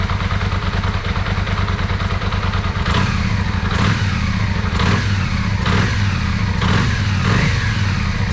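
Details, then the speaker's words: Yamaha Virago 535 V-twin after carburetor rebuild, bigger jets, gas-leak fix and battery charge, previously running on one cylinder; even lumpy beat on both cylinders with crisp repeated throttle blips picking up cleanly: normal running with throttle blips. "And she feels way better too. Like already I can feel there's more throttle response. Amazing."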